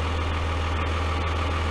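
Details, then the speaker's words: Freightliner FL70 diesel truck, warmed up with the gray smoke gone: a steady, even low idle rumble, then the engine shuts itself off after a second as the engine-protect light flashes; the shop was looking into this alongside the check-engine light. "after a second it shuts off by itself so that was something else they were looking looking into it does not idle for very long so it should shut off in a second"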